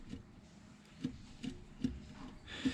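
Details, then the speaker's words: Subaru BRZ engine torn down after failure: dull metal clunks about every half second as the connecting rod is rocked by hand, showing excessive play. The cylinder 4 rod bearing is completely gone and its debris damaged the camshafts. "Well, I don't know how well you'll be able to see it, but hopefully you can at least hear it. See how much play is in that?"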